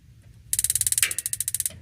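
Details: Modena magnet-type gas water heater; about one second of fast sharp ticking, roughly sixteen a second, then gas solenoid valve click; igniter sparking properly.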